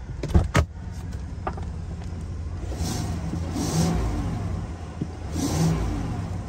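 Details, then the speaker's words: Vehicle at auction, 27,000 miles: smooth idle then two clean revs up and back down with no knocks, rattles or stumbles; idling very smooth, healthy engine. "idling very smooth"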